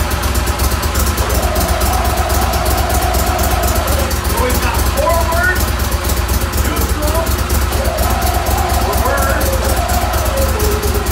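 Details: Mud Buddy HDR 50 EFI mud motor, ECM-controlled, on final shop checklist after being run up to about 3,800–3,900 rpm: steady, even low rumble with a constant beat and no knocks or misses, low-speed rpm correct.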